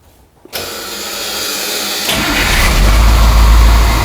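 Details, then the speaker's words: Truck with a 3208 Caterpillar V8 diesel and air brakes, about 30,000 miles from new: catches almost instantly after a short crank and settles into a deep, steady, even idle; healthy start. "man is that sweet air brakes is that a V8 yes V8 caterpillar"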